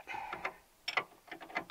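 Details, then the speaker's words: Ski-Doo Alpine snowmobile after a steering modification: irregular bursts of dry clicks as the drive sprockets grind and skip in the track lugs; the track is loose, slips in deep snow and under load, and needs tightening. "you can hear the sprockets trying to grind a bit in the track"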